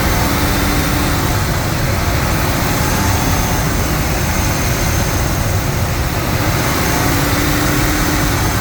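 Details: Ford 5.4 liter 2V V8 running after repair with Cometic head gaskets, ARP head studs, compression raised to 200 to 220, no coolant or oil leaks: steady even roar with strong low rumble, no knocks, ticks or misses; normal running.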